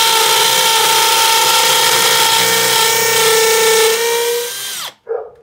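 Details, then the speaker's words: Makita XPH07 brushless cordless hammer drill on the hammer-drill setting, boring concrete to depth-gauge depth: a clean high-pitched motor whine held steady under load, then a smooth spin-down on release. Normal operation. "gonna put it on setting to hammer drill and we'll see how this does"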